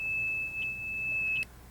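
A steady, high-pitched beep holds for about a second and a half, then cuts off: the probe has touched water.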